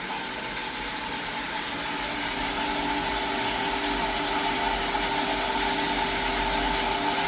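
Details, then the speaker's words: Jetmatic-system water pump with pressure tank after repair, bearing and rubber seal replaced to stop a leak, noisy before: steady, even motor hum with a clean, refined tone and no grinding or rattle; pump runs smoothly. "Maganda na yung tunog niya guys. Medyo pino? Pinong-pino naangat."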